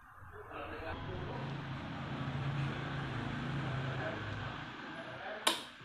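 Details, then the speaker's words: Yamaha Aerox scooter at slow speed: buzzy rattly vibration as the covered number plate hits the rear fender. Fixed by fitting a bracket that gaps the plate from the fender. "so the sound comes from here, guys, when we take the motorbike slowly, it will vibrate like this and it's really uncomfortable guys"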